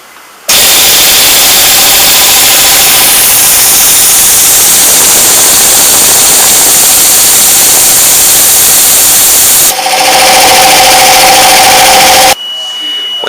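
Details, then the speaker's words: 240V air compressor starting on an empty tank: the motor settles into an even drone while air hisses from the pressure switch unloader valve until about 30 lb, then pressure builds. Normal start and run. "when it first starts with no air in it it will leak air around the bottom of the pressure switch which is a valve until it gets to about 30 lb and then we'll pump up the pressure turn off and restart when the pressure comes down again"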